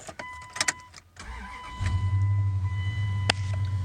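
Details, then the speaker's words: 2000 Dodge Dakota 4.7L 4x4 gas, 161,000 miles, stored in a barn 2 or 3 years: brief crank, catches cleanly within seconds and settles to a smooth steady idle with a little throaty sound; normal start. "This thing runs good, guys. I don't know if you can hear that. It's got a little bit of throaty sound to it."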